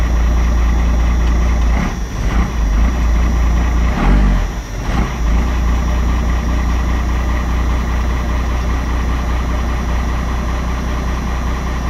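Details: 12-valve diesel after cold start: steady deep clatter settling into an even idle, no misses or knocks; healthy cold idle.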